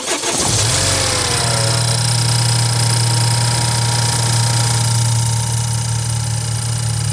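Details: BMW N20 engine with 133,000 miles, just bought: the engine catches and settles into a busy idle with a light, fast metallic chatter on top; the owner asks whether this is normal and suspects timing chain noise.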